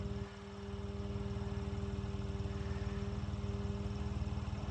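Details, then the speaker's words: 1975 Ford Transit MK1 diesel, cold start attempt after glow plug and grid heater preheat; slow, even cranking at about four compression beats a second that never fires, with smoke. The reservoir likely ran out of fuel to burn. "see the smoke it's probably going to be the longest failed coal start on YouTube I bet that Reservoir ran out of fuel to burn"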